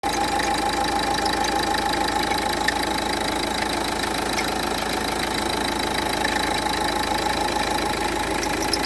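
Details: Renault Duster 1.5 dCi diesel at idle with a steady fast rattle about three a second over the engine note from a failing alternator pulley.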